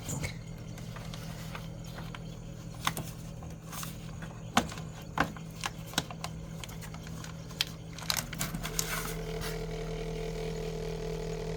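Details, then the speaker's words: Samsung Zipel SRT686FVIS refrigerator: steady hum with a buzzing vibration rattle that returns when the newspaper is removed from between the condenser and the floor; the condenser mount vibrates, and the wedged newspaper stops it. "예 밑에 신문지를 빼니까 또 다시 어 소리가 들립니다"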